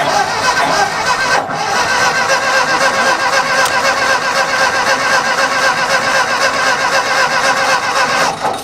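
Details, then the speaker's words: Abandoned Ford 2000 tractor cranking with the distributor cap being repositioned: sputtering, irregular firing that never catches, with burning gasoline smelled in the exhaust. Seems to be firing the wrong cylinders; ignition timing suspected too advanced. "It sounds like it's trying to run, but it sounds like it's fighting itself. I think it's trying to fire the wrong cylinders. Yeah, it sounds like like timing is too advanced."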